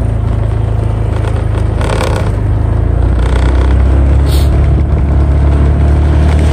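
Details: Honda Vario 125/150 New ridden after the loose front cover (dasi) that rattled loudly on rough roads and speed bumps was refitted tight: steady low engine drone with wind rush, and no loose plastic rattle comes through.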